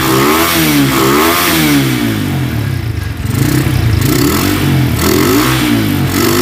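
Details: Honda Tiger single-cylinder motorcycle that smokes when cold and has lost power, started after a wash, revving: uneven clattery ticking from the cylinder head; cause found to be loose rocker arms.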